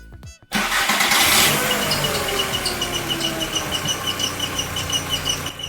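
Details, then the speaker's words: VW MK4 Golf with accessory belt removed at startup: engine cranks and catches, then steady high chirp pulses with rotation; squeak persists, seeming to come from behind the passenger-side timing cover, suspected timing components, not confirmed. "sounds like it's coming from in there not good so this is the passenger side of the vehicle and this cover covers the timing component"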